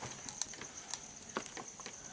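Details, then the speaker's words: Novelty fire-effect light bulb in a quiet room giving faint irregular dry crackles, like a small fire. Moving it to a different holder showed the fault is in the bulb itself. "Oh, what is wrong with this thing? You hear it it's crackling like fire. That's not good."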